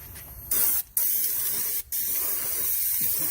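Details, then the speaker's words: Bedliner spray gun, test-spraying leftover protective coating that had turned white in the container, for a 1966 Kaiser Jeep CJ5: only a steady hiss of air in bursts, no material sprays out at all. "It's so funny. It doesn't spray at all."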